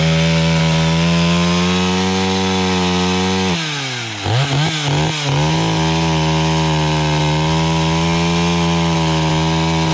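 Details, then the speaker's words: Stihl 031 AV chainsaw, about a 1974 model and unrun for about 5 years, after a carb cleaning: steady high buzz at full throttle, pulls down in the sassafras firewood cut and recovers cleanly; runs evenly and healthy. "okay so the o31 AV did a pretty nice job"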